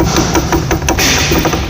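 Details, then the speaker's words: VW Gol rear suspension rocked in the workshop: loud, quick sharp knocks about five times a second from a worn rear bump stop that no longer holds at the top and moves and bangs. The noise is loud but the problem is small. "ao desgaste ele já não prende mais em cima então ó fica andando e batendo muitas vezes o barulho é alto mas o problema é pequeno"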